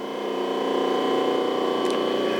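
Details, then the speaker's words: Rotary phase converter supplying three-phase shop power, previously very noisy with an annoying pitch, after servicing and re-bolting idler motor to base with self-locking M10 nuts: steady even mid-pitched hum, no knocking or grinding, much quieter; normal running. "I got a say it's a lot quieter than it was in the past"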